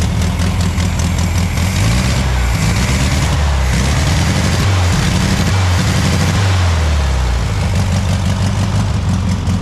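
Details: Barn-find VW Beetle that sat 30 to 40 years in a field, started after wiring fix and fitting the petrol pipe: deep, steady flat-four burble at even idle without misses, running cleanly on its own.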